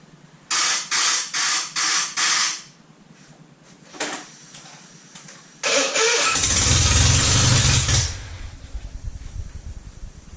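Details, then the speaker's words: Citroën 2CV twin-cylinder engine, ignition confirmed good, carburettor stood empty 20 years: five even cranking bursts, then a brief catch and sputter that dies; fires but starves for fuel, blocked carburettor slow-running jet. "So as you can see, there's nothing wrong with the ignition at all. It's spot on. It's, for some weird reason, the carburetor isn't working, so I'm going to have to strip it down and have a look."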